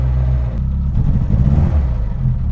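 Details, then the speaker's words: Reliant Robin MK2 Anniversary Edition, hard to start and not firing on all four cylinders at first, driven before fully warm: deep, uneven stumbling rumble; rough running when cold, owner suspects timing and carb. "There's a lot of stuttering, but again, it's not fully warmed up yet, so that might be the reason."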